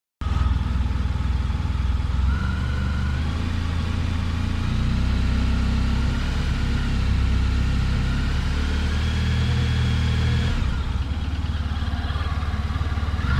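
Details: 2018 Honda Crosstourer motorcycle at 1000 km, engine idling and blipped: uneven low knock about twice a second under the exhaust note; source not pinned down, engine knocking suspected.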